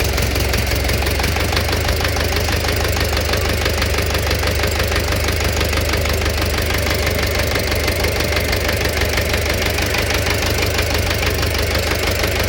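Steady idle with a repeating knock, roughly one and a half per second, riding over the engine note; knock at idle, cause unknown.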